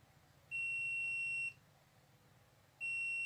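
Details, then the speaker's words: LG 32LJ510D/32LH510D TV stuck in standby: multimeter gives clear high beeps about a second long, continuity to ground across 12-volt rail capacitors; short in circuit or shorted capacitor. "Jadi, ada korsleting di rangkaian atau kapasitor di sini. Oke. Lihat, alat ini berbunyi bip."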